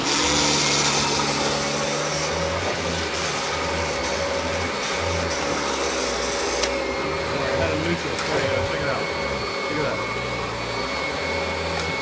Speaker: drives itself man so cool sounds good